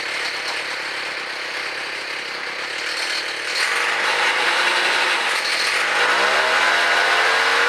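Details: Gas-powered mobility scooter with rebuilt small engine, first run after input shaft repair, no wheels fitted, new chain and sprocket with slight chain play; steady buzz revving up smoothly, a little chain rattle; motor runs perfect, normal running.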